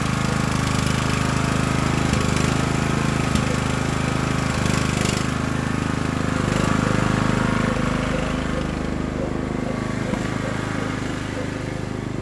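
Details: Craftsman LT1000 riding mower just after Briggs & Stratton engine transplant, first start on choke and driving around yard: even chug at steady mid pace, no misfires or knocking; smoke is spilled oil on exhaust; sixth gear won't engage.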